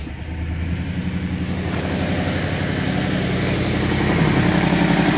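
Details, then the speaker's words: 2010 BMW 750 N63 V8 with a used replacement engine: lumpy, uneven idle with a shake in the rhythm. Code and cam/crank scope show exhaust camshaft bank two out of time. "can tell it's not running good there's the error code and right away you get exhaust camshaft two basically out of time"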